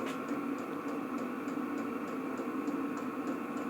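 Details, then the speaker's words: Vevor 8 kW diesel air heater running at mid setting, target about 25°C: steady light tick about three per second over even fan rush, fuel pump metering normally; outlet air about 80°C, exhaust about 170°C. "donc là j'ai réglé la température vers 25°gr à peu près donc il tourne à moy normalement on va dire voilà donc on entend tac tac je sais pas si on l'entendz on entend la pompe"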